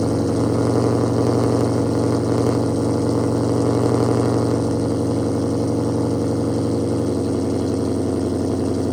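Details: Challenger Shaker at 45,280 miles, cold start idle before a radiator flush: even, deep idle with a steady pulse and no ticks or knocks. The engine sounds healthy.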